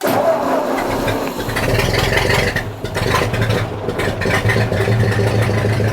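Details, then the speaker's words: 1950 Ford 8N tractor, cold start in neutral with choke pulled and throttle set at the first screw: starter cranks briefly, engine catches and holds a steady, even low rumble without stumbling, throttle then eased back. "Once you hear it get started, you just kind of get that throttle pushed back in nice and slow until you hear it."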